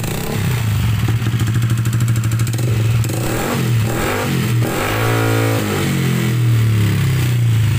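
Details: Yamaha NMAX single-cylinder scooter engine previously wrecked by water hammer in a flood, heard before rebuild with a 63 mm bore block. Loud, uneven beat with clattering and scraping over the revs, smoking heavily. Rough running from water hammer damage.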